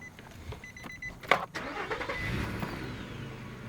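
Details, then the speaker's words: 11-year-old Nissan Pathfinder 4.0L V6 with 113,000 miles, unmodified, that randomly dies when stopping or idling: a few clicks, a quick crank, then it settles into a quiet steady idle with no misses, no shaking. Normal start and idle. "sounds good from here these v6 engines are generally hurting especially with these four liters it's not shaking it doesn't smell it's not leaking oil"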